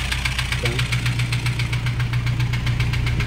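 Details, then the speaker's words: Toyota HiAce 2KD diesel only five months after overhaul, knocking loudly at idle; sharp, fast knock about four per second with valve clatter. Injectors all respond when unplugged. "ito yung itou natin mga boss 5 months pa lang inha to pero ganito na ang tunog ng kanyang sa"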